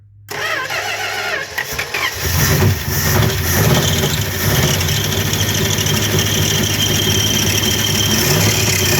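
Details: 1964 Dodge Dart with 270 V8, last tagged 1990, first start in about 30 years after loose starter connections pressed down; starter cranks about two seconds, then catches into a steady, slightly lumpy idle: engine start and idle.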